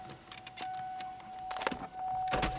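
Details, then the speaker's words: 2003 Pontiac Grand Am GT power window motor: short smooth whirring bursts over a faint steady tone. The window fault was traced to a bad switch, not the motor. "it is the window so only the driver's side window works for now"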